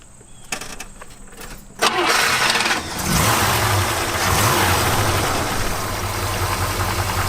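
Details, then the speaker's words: International Scout II, original 345 V8, almost certainly never taken apart, showing 85,000 miles, with a new fuel pump and starter: brief cranking, then it catches at once and settles into a steady, even idle with no misses or knocks. Healthy start. "the thing I like about this motor is I'm almost certain it's never been taken apart, and it starts up one turn. All we did, we put a new fuel pump on it and a new starter, and it'll pump right up."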